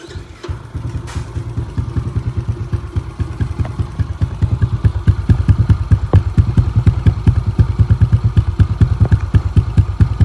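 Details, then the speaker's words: Yamaha Exciter 135 with rebuilt 62zz engine, old cylinder reused, full CTR ignition, Daytona fuel tank, reworked exhaust, large radiator with electric water pump; starts on first press, small single thump at steady even idle, no knocking; smooth healthy idle. "Nghe dàn hơi rất là ấm nha. Máy em ru luôn nha anh em."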